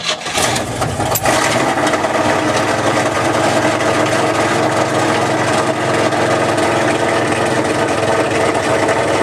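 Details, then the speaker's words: 1978 GMC K25 V8, first start after sitting for years: loud, steady, raspy idle with harsh blatting edge; runs rough, owner suspects part of the noise is the exhaust itself. "all right so this does sound pretty terrible but I think that part of that is the actual exhaust itself"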